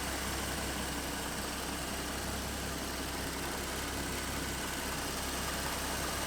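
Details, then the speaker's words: 2014 Ford Mustang 3.7L V6 idling after new-design water pump replaced the failed one that made knocking/grinding noise; coolant refilled, slightly overfilled: smooth even idle, steady low rumble, no ticking, whining or knocking; noise fixed. "she sounds healthy it sounds better than it did before so yeah guys the water pump did get rid of the noise"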